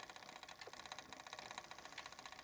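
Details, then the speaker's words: Bicycle rear derailleur tuning, barrel adjuster turned counterclockwise to tighten cable: quick even light ticking while pedalling as chain pushes against and starts jumping to next larger cog; chain rubbing adjacent cog. "eventually you'll start to hear the sound of the chain pushing up against the next gear. There it is. It's just starting to push, and it's starting to jump a little bit."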